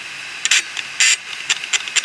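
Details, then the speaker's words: Western Digital 500 GB external USB hard drive with two platters: sharp irregular clicks and short chatter bursts, then silence as crashed heads fail to read and the drive parks them. "the hard drive is not happy it says there is something definitely horribly wrong here I'll just turn myself off and park the heads now"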